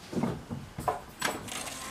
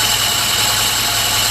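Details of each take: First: Alfa Romeo with SPICA injection pump running rich, started after fuel system adjustments: several weak cranking bursts before it catches and runs loud and ragged; hard starting and rough running, cause unconfirmed, pump may need replacing. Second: Alfa Romeo with SPICA injection pump, after pump adjustments to cure very rich running: a steady, even idle with a smooth hum, no misses or knocks, running cleanly while it warms up so the pump's back gap can be checked.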